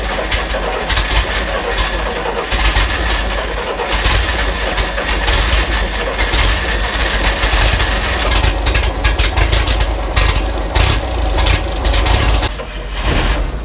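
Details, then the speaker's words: Circa-1952 REO dump truck straight-six, sitting over 22 years, first start on a temporary fuel system with starting fluid: rough but steady idle with uneven chuffs, barely idling yet running and building air pressure. "Yeah. It's going. It's running. Is it building air pressure? Oh, it is. It's building air pressure. Feel it idle."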